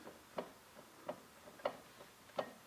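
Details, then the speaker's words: BMW Z3 (E36) jacked up, main driveshaft blocked, one rear wheel rocked while the other is held: sharp isolated clunks about every three-quarters of a second from the differential, suspected excessive diff backlash. "well that's certainly a lot of noise in the diff that's a lot of noise in the diff"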